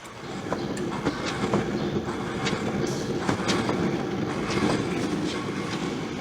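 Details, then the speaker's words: Wheel spun by hand: coarse, gritty rumble with irregular clicks, louder on this side, quieter on the opposite side; worn hub bearing needing replacement, three hub bearings judged gone by sound. "바퀴를 돌리면 와글와글 웁니다. 근데 이쪽만 나는 게 아니라 저 반대편도 소리는 나는데 좀 작습니다."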